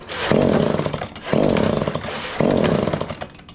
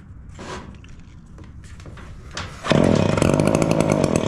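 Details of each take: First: Echo PB265L backpack blower, cold after sitting 4–5 days, before its service with a new carburetor, fuel lines, filters and plug. The engine flares in three uneven bursts about a second apart and sags each time; a rough-running two-stroke. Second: Echo PB265L backpack blower two-stroke after service (old carburetor had been flooding, wet plug and air filter; new NGK BPM8Y plug fitted): a few handling clicks, then it catches near three seconds and holds a steady high buzz; normal running.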